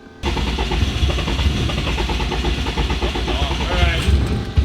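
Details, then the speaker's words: 800HP Subaru WRX STI boxer engine after breakdown, cylinder blown out, full of fuel, cranked on trickle charger; starter grinds steadily, engine fires a few times but never catches; crank no start. "let's see what it does oh that's the closest it's gotten yet that means it's full of fuel yeah do it again just keep it floored"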